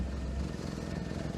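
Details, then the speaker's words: 1998 Daihatsu Sirion M100 automatic, rear section and tailpipe disconnected, hand over pipe: low rough idle with puffing chuff, locating the exhaust leak on the front silencer section; likely whole exhaust replacement. "it's chuffing like a good so the problem is on this section"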